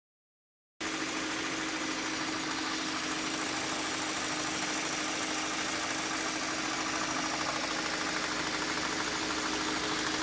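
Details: 2013 Kia Optima K5, 2.0L Nu CVVL engine: fast light tapping about three per second over idle, gone when accelerator pressed; valvetrain-type tick, cause not yet pinned down.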